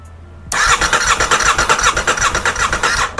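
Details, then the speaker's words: Rebuilt crashed 2023 Aprilia RS660 with no fuel tank, fuel or coolant, after immobilizer fix: brisk, even starter cranking for about two and a half seconds with no drag or clatter; cranks cleanly, cannot start without fuel. "And it cranks over. That is just excellent. One more time. That sounds really healthy. That sounds really, really healthy."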